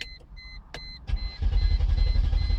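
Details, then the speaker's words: 2001 Mercedes E320 with a suspected bad fuel pump relay: door chime beeps, then a low, rhythmic cranking chug keeps churning without catching; the engine cranks but will not start. "And it cranks up but it won't turn over."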